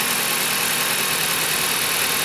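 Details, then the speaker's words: Dodge Caliber after replacing the alternator decoupler pulley and belt: smooth, even idle with a steady hiss and no knocking, grinding or rattle. The earlier grinding/knocking noise is gone. "and I'm going to show you what it sounds like and the noise is gone it runs perfectly it runs perfect"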